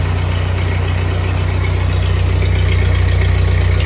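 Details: 1948 Ford 8N tractor engine after a full rebuild, idling in neutral after a choke start on a new carburetor still needing adjustment: deep, even thumping at a steady slow idle with no misses or knocks. Normal idle; a leak still to fix.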